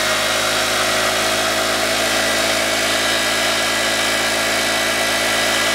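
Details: 2015 Honda Ruckus scooter, revived after sitting a couple of years, ignition on jumper wires, due an oil change: small single ticking over with a light, even buzz, no knocks or misses; healthy normal idle.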